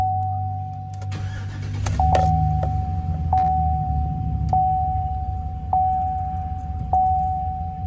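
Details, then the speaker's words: 2015 Chevrolet Silverado 2500HD LT 4x4, 6.0 Vortec V8, 153k miles, said to sound good hot and cold: brief crank, quick catch, smooth even V8 idle under repeating dash chime; healthy start and idle. "Runs and drives great, everything works. Motor sounds good, hot and cold."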